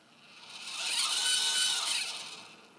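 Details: Losmandy G11 mount DEC drive while slewing: motor whine swells and fades over a few seconds with a gritty rasping scrape on top, suggesting something dragging in the drive; owner unsure whether it's a problem.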